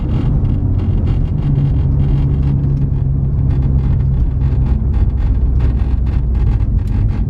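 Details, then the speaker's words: BMW F30 driving at low rpm in eco mode: low engine drone with scattered light buzzy rattles from the center console; cause unknown, parking brake lines suspected. "so the first thing that i dislike about my car is the fact that when you're driving no matter what type of exhaust you have uh the car rattles like crazy so like in the center console area over here it rattles really really bad when you're driving"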